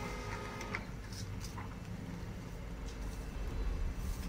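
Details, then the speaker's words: Canon LBP 3500 laser printer test print after fixing E000 0001 alarm (low fuser temperature): steady low mechanical whir with faint paper-feed clicks, even throughout; printing normally. "Rồi Như vậy là máy nó đã nhận lệnh nha các bạn đó ra nhữn bạn in"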